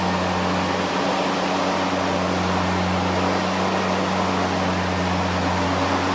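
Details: EGO LM2142SP 21" dual-battery brushless self-propelled mower, new out of the box with mulcher fitted, switched on once: even, steady motor hum with constant low drone and fan rush, no knocks or surging; normal running.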